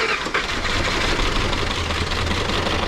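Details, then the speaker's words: Long-stored Ford 302 V8 in a junkyard donor car, run on 15-year-old gas and seemingly running on six cylinders, with water from the exhaust. A ragged, uneven low rumble; bad gas is suspected. Rough running. "That's it. That's about how it run on 6 anyway."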